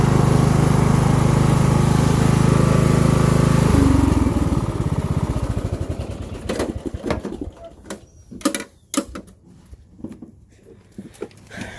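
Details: Craftsman LT1000 lawn tractor being built as a mud mower: steady low thrumming then sputters and winds down as it runs out of gas; engine seems slow, estimated 2,000–2,500 rpm instead of about 3,500; burning off some oil and probably water.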